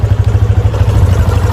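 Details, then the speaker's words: 2019 Yamaha motorcycle that wouldn't start on the electric starter, now running after the dead original battery was found as the cause; low, even thumping exhaust pulse at steady idle, no misses or stumbles: normal running. "Aí, ó. Meu filho, problema resolvido. Só comprar a bateria e acabou."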